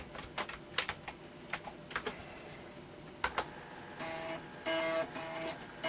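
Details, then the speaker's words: Toshiba T1000 laptop after disk drive repair, running on a weak battery: irregular quick head-stepping ticks and short buzzing read bursts as a program loads; floppy drive seeking and reading normally. "as you can hear the disk drive is definitely working again and uh loading something like this is putting a fair bit of load on the battery"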